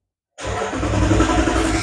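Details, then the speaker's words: 2011 Dodge Ram, cranks but will not start: the starter spins the engine at a steady rhythm but it never fires. The test light does not illuminate on the fuel pump circuit, and the fault is traced to the fuel pump relay. "so right now we have this 2011 Dodge Ram with not start right now we starting our test I'm doing a load loaded circuit test the vehicle will crank but will not start as I think as a fuel [Music] pump"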